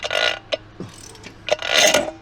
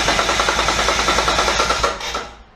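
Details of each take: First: Twin-turbo Mitsubishi Triton, 3.0L 6G72 V6, with a newly fitted cheap replacement starter motor: harsh metallic grinding screech in ragged bursts with no engine beat as it's turned over; starter pinion jammed engaged, won't retract. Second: Twin-turbo Mitsubishi Triton with a 3.0L 6G72 V6 cranking at 12.5 V after a suspected bad earth was fixed (it had dropped to 7.7–8 V): the starter spins briskly and evenly with no dragging. Normal cranking.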